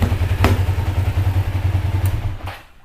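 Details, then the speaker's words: 2005 Kawasaki Ninja 500R twin, revived after sitting 10 years, idling after a long ride; even low thrumming pulses, then engine shut off, clean healthy idle. "That's how it sounds after my long ride. Beautiful. Sounds beautiful. Sounds amazing."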